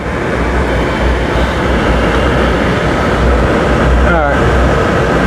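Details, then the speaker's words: Travel trailer RV furnace test-fired on propane after the noisy unit was cleaned of mice. It gives a smooth, constant low roar from the blower and burner with no rattles or scraping. Normal furnace operation after repair. "now i'm going to twist these two blue wires together this thing should fire right up listen to that we have furnace yay"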